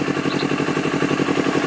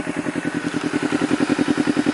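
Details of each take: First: Honda CBR250RR: quick, slightly uneven idle pulse, rpm hunting roughly 1000 to 3000, won't hold idle and stutters; faults found in the O2 sensor and throttle, later fixed. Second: Honda CBR250RR twin, warmed up after long running, after fixing faulty O2 sensor with an O2 manipulator and throttle error that caused unstable idle and misfiring: crisp, regular exhaust pulses about ten per second, no backfire popping even when revved; smooth steady idle.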